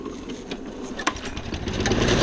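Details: Old junk mower, carburetor cleaned and reassembled with fuel, spark and compression confirmed, starts with a rough sputter that builds into a steady, rising run within two seconds; runs cleanly, normal start-up.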